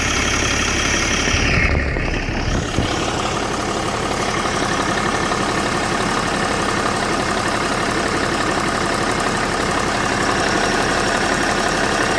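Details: BMW E61 525d LCI diesel at idle: steady diesel idle with a busy, uneven clatter underneath and a faint whistle on top; something sounds off, possibly turbo-related.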